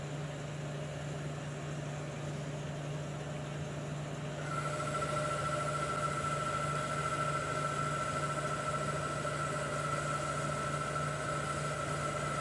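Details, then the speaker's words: 1973 Hardinge chucker lathe at about 800 RPM, boring cut with a bigger, stiffer bar: a steady, clean high tone with no chatter or squeal, cutting smoothly. "The bigger bar already sounds better, doesn't it? That's the end of the cut."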